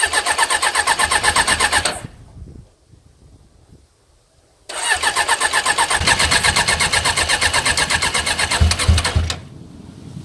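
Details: Suzuki GSX 600 motorcycle project after fitting a new switch: steady fast starter chug, about four beats a second, in two long bursts with a pause; never catches. Cause suspected, not confirmed.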